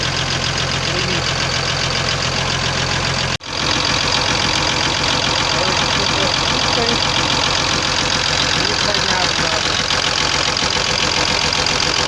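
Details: Cummins diesel at idle: sharp regular tapping about four per second, locked to engine speed; knock traced to the connecting-rod small-end bushings.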